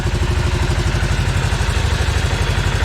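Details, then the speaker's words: Segway Villain UTV in about 10°F cold, primary clutch just reinstalled after replacing a badly leaking engine seal: light even clatter on each firing pulse at idle, ordinary clutch clanking the owner says these clutches always make, nothing wrong. "Clutches have always been kind of noisy, so I'm not going to worry about the little bit of clanking going on there, because they always make that noise."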